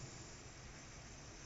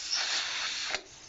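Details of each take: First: Pressure canner with its weight on (marble on top) and the lid clamps retightened: soft, steady steam hiss rising gently as pressure builds, then a brief gap; coming up to pressure normally. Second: Pressure canner just after the weight was put on following about 10 minutes of venting: a steady high hiss for about a second, then a sharp cutoff, steam escaping past the loose lid clamps.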